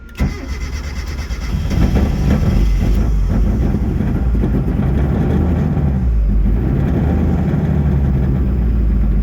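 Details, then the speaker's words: Car said to be dyno-ready cranks, catches and idles roughly with an uneven, stumbling low-pitched beat; still misfiring, not wanting to start or stay running. "can you hear it yeah it's got a misfire still so I was told this was Dino ready"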